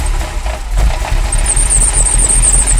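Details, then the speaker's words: Ferrari V8 idling after new sensors fixed a misfire; a loose fan belt is present. Unplugging the sensor for cylinders 5–8, then 1–4, makes an uneven, lumpy misfire while it keeps running. "so this is cylinder uh cylinders five two um eight so when i pull it you hear it start missing"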